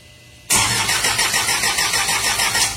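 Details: 2016 Isuzu 4HK1 electronic engine: the starter cuts in sharply and churns at a steady pulsing rhythm for a few seconds, but it never catches. Cranks but won't start; cause not identified.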